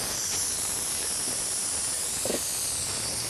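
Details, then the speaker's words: Tyre punctured by a bent wire, just removed with pliers before inserting a plug/string: steady sharp hiss of air escaping through the puncture, no engine behind it. "now you can hear the air coming out if you still have what's holding it the best thing is while the air is coming out while we do the preparation"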